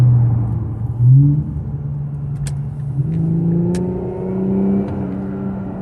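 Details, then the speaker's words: 2018 Infiniti Q50 Luxe 3.0t AWD, cat-back muffler delete, about 57k miles, oil changed: a faint whistle rises with revs on each throttle push over a deep exhaust rumble, louder than ever before and growing over the last 10,000 miles; owner suspects the turbo. "It's definitely what I would describe as a whistle. And it was never as loud as this."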